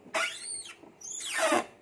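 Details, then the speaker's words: Car windshield wipers squeal loudly with a high, gliding squeal on each sweep, about two strokes in two seconds, and the wipers move slowly. "So kat sini boleh dengar eh bising eh. So dia bergerak pun perlahan."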